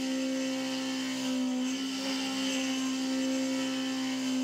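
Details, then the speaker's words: Milling off the back tab of an AR15 high rail gas block in a highly interrupted cut: a steady cutting whine sags and wavers under load. The worn, chipped end mill is bogging the spindle motor, with the load meter near 40 percent. "so so now you can hear it start to bog down and that's because this end mill is so worn has so many chips in it that it's actually bogging the spindle motor down a little bit"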